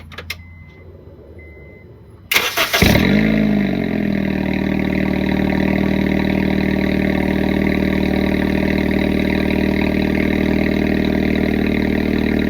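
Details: 2007 car, exhaust bolts just loosened for first time, started after work begins on exhaust leak: cranks, catches and settles to steady idle with raspy, puffing exhaust edge; leak suspected upstream of cat, possible running rich (P0172), power loss.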